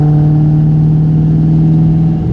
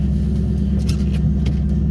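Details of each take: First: 1998 Mustang Cobra V8 as it warms: light irregular tapping chatter over the rumble, rising and falling with throttle, mostly 2–3k rpm, gone under load and on deceleration; absent cold; suggested: rod bearings, lash tensioners, exhaust leak. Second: 1998 Mustang Cobra V8 just after a cold start, backed out of garage: even low idle rumble with no ticking from the top end; the tapping/rattle only appears once warm, absent while cold.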